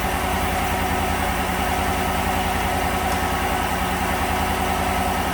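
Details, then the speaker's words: 2015 GMC Sierra 1500 Denali 6.2L V8 after replacing the broken number 6 intake pushrod and valve cover gasket: steady, even idle with no valvetrain tapping, MAF disconnected earlier; running much better, shaking slightly. "Well, moment of truth. We're going to fire it up, see how it runs. Well, that's a lot better."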